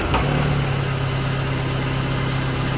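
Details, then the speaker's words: Classic Mini, first start after ignition work, valve adjustment, fuel pump swap and choke correction (was towed in, wouldn't start or run): low, steady, even idle with no misses or knocks; sounds good, though it still smokes at idle. "Yeah, that sounds pretty good."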